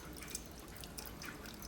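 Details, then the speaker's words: Keurig Supreme that wouldn't power on, after resetting tripped thermal cutoff, brewing 10 oz cup: steady pump hum under irregular drips and gurgles as air purges from lines; brewing normally. "pump is on everything appears to be working just fine there's a little bit of air in the lines that's getting worked out the water level is going down on the Keurig so things are looking good"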